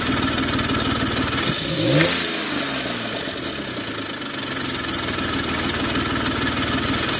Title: 2004 BMW X3 3.0L M54 hood view Exhaust Leak Noise!